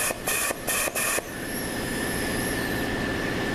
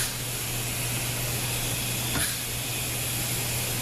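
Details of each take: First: ZF 5HP24 transmission with no reverse when hot, C clutch air-checked at about 150 psi with worn bushings. A steady hiss with a faint thin whistle is heard as air escapes past the worn bushings, and the clutch barely applies, unlike the solid E clutch. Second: ZF 5HP24 transmission during overhaul, K2 and K1 clutches air-checked on the rebuild. A steady air hiss holds under pressure with soft clicks as the clutches apply, so the seals are holding air fine.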